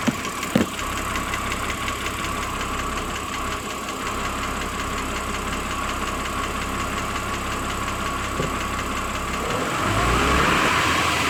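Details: BMW 330i, N52 engine; 10–15 minutes after a cold start, a light regular tick about three per second appears over the smooth six-cylinder idle, valvetrain area, cause unclear.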